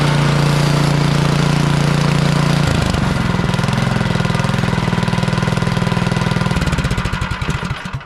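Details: Craftsman snow blower with Powermore single-cylinder engine, after ultrasonic Huayi carburetor clean and rebuild, sat a couple years: chugs steadily on choke without priming on a warm day, settles to a lower even beat, then shut off; normal running.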